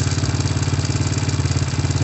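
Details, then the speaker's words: Honda Supra motorcycle, high-use work bike, single-cylinder idle: noisy engine with rapid sharp tapping on each firing pulse, plus white-bluish smoke (oil entering combustion, suspected piston, rings or valve seals) and oil seepage; worn connecting rod and piston pin. "kemudian ada suara berisik juga pada bagian mesin gua berisik perhatikan suarane"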